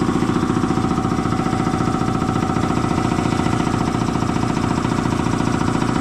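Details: Air compressor slowing down after an oil change to synthetic oil, first thought to be tying up: pumping about 214 beats a minute, sagging and labouring under load; a way-loose drive belt, tightened afterwards, then worked fine.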